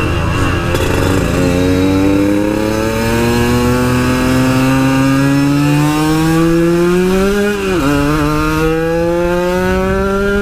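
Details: Yamaha RX King two-stroke that stuttered at high rpm while riding, now repaired by soldering a loose coil wire; it revs smoothly with a clean, rising note and no stutter.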